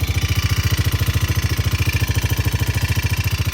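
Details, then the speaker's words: 2000 Arctic Cat 250 ATV, recently serviced (carbs, air filter, oil), at a cold idle: a quick, steady thumping of about twelve beats a second with a light metallic rattle on top. The owner guesses valve adjustment or something loose; the cause is not confirmed. "but it kind of sounds like there's a rattle in there. So like I said, that rattle, besides that, I haven't noticed anything that's wrong with this. If I had to guess, I think that maybe the valves need to be adjusted,"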